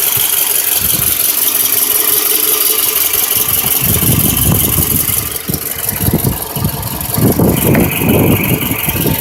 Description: I bought this at a dealership and refused to repair the oil consumption issue and the misfire. It was very random.